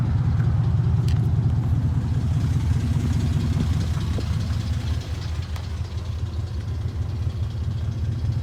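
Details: 2002 Dodge Ram 4.7 V8 at idle, before repair: loose rapid rattling clatter under heavy low rumble; worn timing chains, guides and tensioners, fixed by replacing all timing components.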